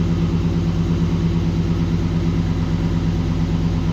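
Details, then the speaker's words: 1936 GMC truck with 5.3L LS V8 swap, first start in about 60 years: steady even smooth idle, no knocks or misses; header smoking slightly, no leaks seen. "Well, she started right up. I don't see anything too catastrophic yet."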